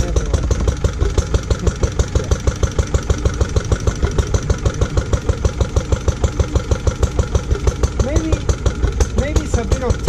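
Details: Lister D petrol single-cylinder barn find, first start in 20+ years after restoration: thumping about three beats a second, lumpy and irregular. Owner suspects too much timing advance and carb settings; uneven running.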